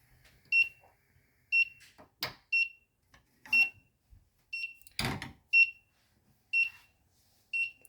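Sharp high-pitched beep about once a second, steady and repeating over some handling noise: the stove monitor's over-temperature alarm is sounding.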